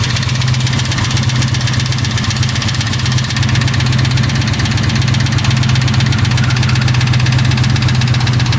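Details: Ford 4.6 2V V8 at idle: steady low rumble with a light, quick ticking about four times a second.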